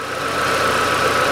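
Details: 2008 Chevrolet Lanos started after replacing the thermostat and timing belt, warming up to check the thermostat: short, steady, even idle with no knocks, ticks or misses after a brief alternator belt chirp; engine runs healthily.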